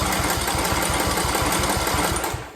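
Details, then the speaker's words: Briggs & Stratton single-cylinder Intek engine after camshaft compression-release replacement, freshly charged battery, no jumper box: quick even starter chugs, six or seven a second, no binding or stalling; compression release working, cranks freely as it should. "how nice that is cranking right now tells me that that cam definitely did the trick right this is doing what it's supposed to do it's releasing the compression when it gets up the top dead so we can start"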